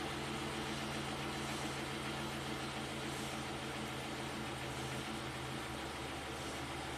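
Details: 2008 Chevy Impala SS V8, 75k miles, intermittent P0201 injector 1 circuit fault with limp mode, idling after codes cleared: even, steady low hum with no stumbles or dropouts; rescan shows no codes, misfire counters all zero.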